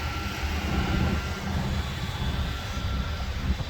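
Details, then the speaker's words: 2008 Honda Accord coupe auction car idling: thin steady whine over the low engine rumble, suspected power steering pump whine. "You hear that whining? That's that power steering whine."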